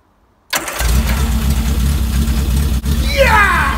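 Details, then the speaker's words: Banham Superbug kit car barn-find project on first start-up with a fresh battery, firing order 1-3-4-2: engine catches into a loud, raw, rasping unmuffled idle, running with no exhaust fitted; sounds like an old Spitfire. "Seems like an old Spitfire firing up, man. Shit. Okay. Maybe we should have a look at the exhaust system."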